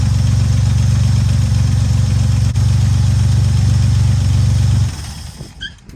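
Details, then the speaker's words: Barn-find classic car first started after 33 years sitting; steady, even low idle rumble with no knocks or misses until shut off, 50 lb oil pressure, sounds good; fuel pump line leaking and heater core bad. "It does have a 50 lb oil pressure and it sounds good. Doesn't look that good, but it sounds good."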